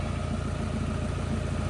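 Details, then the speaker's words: 2001 Honda Civic EJ9 D-series petrol engine idling smooth and steady after first start since 2018, still relearning idle; even low rumble, no knocks; manifold bolts missing cause blowing when revved. "um yeah it's nice and smooth"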